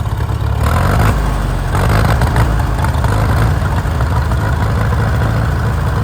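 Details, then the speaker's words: Farmall M tractor, gasoline four-cylinder, just started after being slightly flooded, earlier missing possibly from a fouled plug: steady even low chugging idle with no skips, miss has cleared; normal idle. "I mean, that's not that bad. It is running. Sounds good. There it quit missing."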